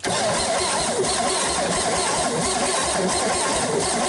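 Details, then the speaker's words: 1961 GMC 305 V6 cranking before its first start in years, after fixing a troublesome wire, with a low battery. Strong, steady cranking with an even beat and no catches; compression sounds good and even. "I have just had a wire that was giving trouble but you hear it turn over here"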